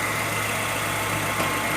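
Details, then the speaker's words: Renault Sandero in for engine noise and a fluctuating temperature gauge: even idle with a faint constant whirr over the engine; bearing noise from the clutch release bearing. "vai passar por cliente ele tem uma barulho de rolamento mas é da embreagem aqui"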